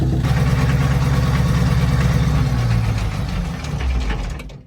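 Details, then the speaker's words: FV432 APC diesel, first run in 13 years, running about 25 minutes: uneven, lumpy beat with a wavering tone and white smoke; rough running, with unburnt fuel suspected before injector pump adjustment. "It doesn't sound right to me, and there's a bit of white smoke, which suggests to me that it's got a bit of unburnt fuel."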